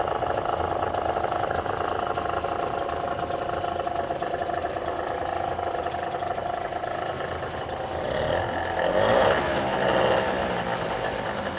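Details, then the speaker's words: Tohatsu 5 (or Chinese equivalent) two-stroke outboard after reinstalling the lower gearbox: buzzy even idle at a fast steady beat, with a small rev rise near the end. Normal running; cooling water should come from the tell-tale hole. "Запускаем мотор. Если все было сделано правильно, то после запуска с контрольного отверстия пойдет вода."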